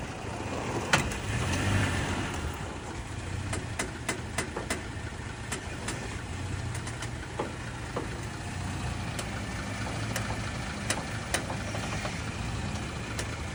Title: Tacoma creaking/ popping noise